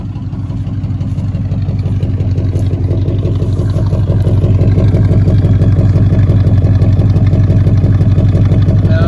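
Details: 1977 Chevy C10 Custom Deluxe V8 with automatic, first run after sitting since 2006–2007, water pump not pumping: steady idle with quick even top-end ticking about three per second, plus a clunk from a broken flex plate; noisy lifters.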